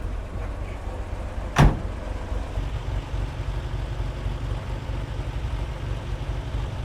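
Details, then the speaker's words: 1966 Corvair Turbo with Mikuni carb, after cold start, idling on its own at about 1000 rpm: low steady hum, even beat, one brief early clunk; smooth settled idle, runs well though it leaks a bit of oil. "God, I love it. It is a bit leaky, but you know, like we say, it's a Corvair."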